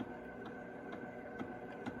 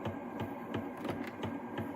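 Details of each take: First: 1978 Fisher Price record player after repair: steady motor hum with a soft regular tick about twice a second; loud for its size but normal motor noise for this player. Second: 1978 Fisher-Price record player after cleaning old grease and applying synthetic grease: a light scraping tick about every third of a second with each platter turn over motor hum. The owner suspects the platter is hitting something, maybe a misplaced cord.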